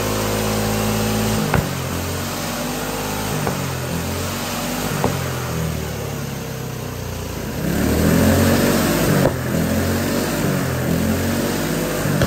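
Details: GX200 Honda-clone single-cylinder go-kart engine on hydrogen with pure water injection: chugs evenly and picks up speed with a few sharp backfire pops; much smoother than pure hydrogen, especially at operating temperature.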